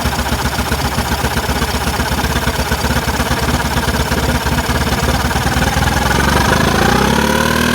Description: Trying to figure out this rough idle stuff happening. Carb is absolutely spotless! Just cleaned it.